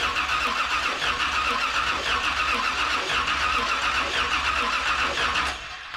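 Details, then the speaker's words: 1981 Chevy Corvette V8 after engine reinstall, cranking with the number 1 plug out and soaking wet: an even starter churn of about 220 turns a minute that never catches. No spark, so the coil is tested next. "There's no spark. All right, with that revelation that we're not getting a spark here, we're gonna test the coil."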